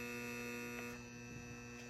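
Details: Gas furnace that won't light, visited on a freezing night: a steady electrical hum with several fixed tones from the damaged vent damper motor; a safety switch also suspected faulty.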